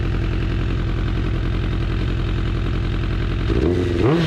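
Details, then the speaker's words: 2004 Suzuki Katana under restoration, running off a remote fuel tank after an idle adjustment and warming up after cooling a little. Even, settled four-cylinder idle, then a clean quick blip that drops back without stumble. "sounded smooth got a little cold setting so to be all right let it warm back up for a second uh in my experience all super cold nature he's idling good that's quiet"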